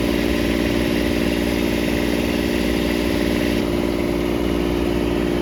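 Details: Kubota D722 diesel on a Carrier Supra 850 freezer unit, revived after years sitting, warming up with coolant around 174–180°F: steady but very loud, raspy running with strong intake roar because the air intake is off, not an internal fault.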